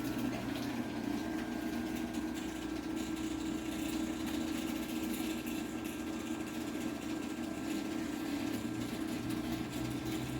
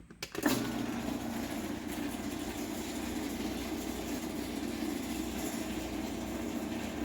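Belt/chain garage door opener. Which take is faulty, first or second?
second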